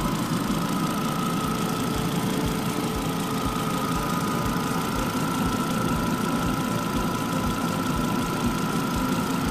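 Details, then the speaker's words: Volvo Ocean Race limited edition 2.5T automatic petrol, just started and warming up, timing chain replaced recently: smooth, steady idle with even low hum and no rattle or ticking; timing side sounds healthy. "Engine is running, so there is no rattling or any noise, as you can hear."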